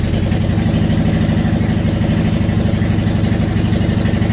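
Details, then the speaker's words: 2010 Honda Shadow Phantom after the gummed-up fuel tank was cleaned and the fuel pump reassembled. Smooth, even, low rumble at steady idle with no stumbles or surging; it idles much better. "it's idling it's idling much much better so hopefully that's a good sign"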